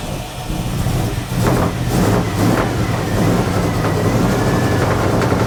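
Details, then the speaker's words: 1980 Dodge W200, Magnum 5.9L V8 with Holley 600 cfm carburettor, cold, choke wired open: rough, lumpy idle with irregular low pulses and muddy revving. Super rich from wrong jetting and a 9.5 power valve opening too early. "got to get that gas primed up in there on what in the world that was like that's terrible that's like full Rich what is going on with this thing why in the world"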